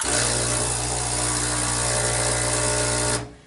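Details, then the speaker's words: Breville Barista Express BES870XL espresso machine, just after power-on. Loud steady buzzing hum for about three seconds, then a clean cutoff, as the pump draws water into the machine to heat. Normal pump operation. "that noise is very normal some people might be a little freaked out but that just means that the pump is working it's pumping water into the machine so that it's hot enough"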